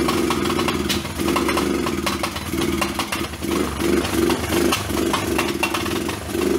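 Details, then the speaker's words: Old Kawasaki four-wheeler basket case, first start after rough top-end rebuild, run on battery charger: ragged single-cylinder running with sharp pops every second or so; misfiring and backfiring, owner suspects incorrect voltage affecting ignition. "it could affect the way it's firing because it was backfiring so I knew that had some kind of problem with the ignition"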